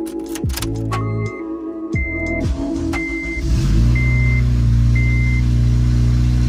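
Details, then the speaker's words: Honda Civic FA5 missing the donut gasket between header and mid pipe/cat, at startup before repair: cranks, catches and revs with a raw puffing rasp on every pulse, louder than stock; exhaust leak. "we're gonna fix the exhaust leak on here causing it to sound so ugly so i'm gonna go start it up real quick so you guys can hear the difference"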